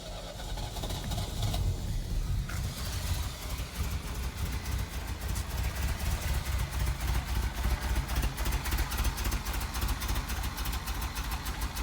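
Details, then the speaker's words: 1983 Ferrari 308 QV V8 under restoration, fuel pump relay pulled during spark testing (seven of eight plugs sparking): starter spins engine in an even beat near four per second, never fires; cranking without fuel, no start. "Okay, so what's happening is once I'm pulling that out, the car is starting up, as you heard, yeah, and then obviously it's not getting any fuel, so it's not going any further."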